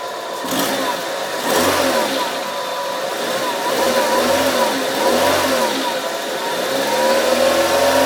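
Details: Fiat Grande Punto: engine revving up and down with a wavering whine riding the revs over the exhaust note; abnormal engine noise, cause unclear.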